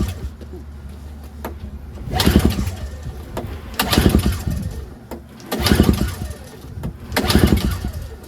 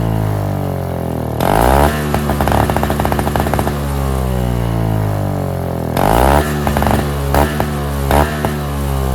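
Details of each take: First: NOMA 21-inch single-stage snowblower, 4.5 2-stroke, electric start failed so recoil-pulled: repeated pull bursts about every 1.5 s, engine turns but never catches; fuel starvation, varnished clogged carburetor. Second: NOMA 4.5 hp Tecumseh two-stroke 21-inch single-stage snowblower, pull-started after the tar-clogged fuel filter was replaced: snaps up crisply on each throttle blip, drops back to steady, even idle. Runs great, normal.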